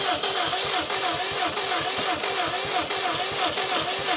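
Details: Subaru STI that has sat a couple of years, cranking on a jump pack: steady fast starter churn with even pulses, going on and on without the engine catching; owner wants starting fluid. Cause not confirmed.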